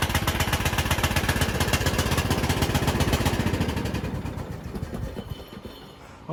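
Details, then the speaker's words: Bolens riding mower engine running: harsh, rapid popping rattle on every firing stroke that fades as the engine winds down; loud noise, suspected exhaust leak, not confirmed. "it's running but it's making a lot of noise sounds like it's got an exhaust leak so the motor runs but we've got another issue"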